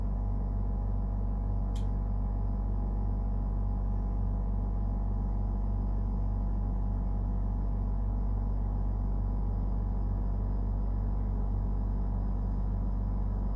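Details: Brand-new Dometic Freshjet 3200 air conditioner at startup and running: loud, steady deep drone with even throb, far noisier than normal operation; excessive compressor noise.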